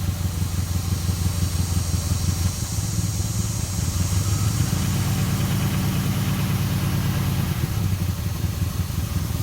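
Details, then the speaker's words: 2002 Chevy Impala 3.4 V6, code P0300, at idle: uneven stumbling low beat with periodic shakes; scan tool power balance shows constant misfire on cylinders 3 and 6, about 42,000 misfires each. "Okay, we got misfire on cylinder number 3, a constant misfire. Cylinder number 6, a constant misfire."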